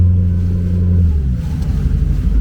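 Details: GT40 Nautique inboard boat engine at 160°F with 60 PSI oil pressure and 38 PSI low-pressure fuel; deep, steady drone rising and settling, sounding healthy, while chasing intermittent hot restart stalling later traced to the low-pressure fuel pump.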